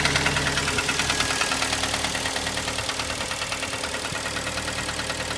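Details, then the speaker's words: 2011 Kia Sportage 2.0 G4KD petrol, cold start: hollow, regular knock at idle, still present after five minutes; endoscope shows scoring with aluminium transfer in cylinders 2, 3 and 4. "она стук на холодную так"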